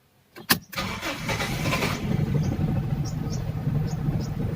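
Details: Toyota Corolla Bigbody GLi AE101 with 4A-FE engine, cold start: a clunk, then uneven, labored cranking that drags on without catching cleanly to idle. Hard starting with long cranking; the cause is suspected but not confirmed, and an ECT sensor installation is referenced.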